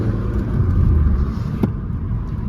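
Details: Volvo V40, thought to be 1.6 diesel, after limp mode with code P00BD air flow too high, faults cleared, test drive: steady rumble pulling away under load, no hiss or whoosh as boost builds; intake sealed, turbo healthy.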